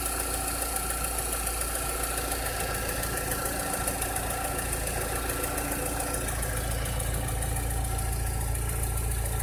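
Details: 2006–2007 VW SpaceFox engine at idle with a strange noise: a rapid, fairly even ticking-knock of about three or four per second rides on top; cause unclear.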